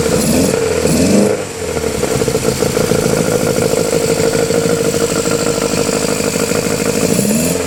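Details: Honda Civic EF with swapped B18C4 and OBX individual throttle bodies, first startup: blips then uneven lumpy idle with wavering pitch, not firing cleanly; owner blames current ECU setup, cause unconfirmed.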